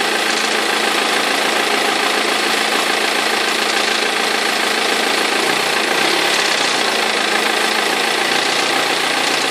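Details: 2003 BMW E46 320d diesel: loud, harsh idle with uneven knock and rattle at the front from perished crankshaft pulley vibration damper rubber; both belts eventually fell off.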